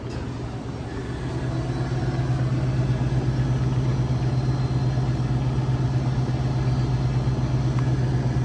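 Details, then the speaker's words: Electro Freeze soft-serve machine, barrel pressure switch replacement: pump running with a steady low, even hum, no knocking or strain, pressurizing the barrel with liquid until the pressure switch stops it at target pressure; normal pump running. "I don't have to keep it open the whole time, but you hear that? Alright, so that means you are pressurizing. Here comes the water."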